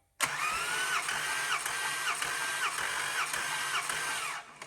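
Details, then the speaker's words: Compression test cranking cylinder 1 with starter bridged, five strokes: even rhythm about 107 strokes a minute, gauge reads 40 first stroke rising to 145; first stroke well under half the last suggests a tired engine. "So it was actually 40, not 45, and then went to 145. So my engine's kind of tired, because if you had a brand new engine, that first compression stroke would be almost half of the last stroke."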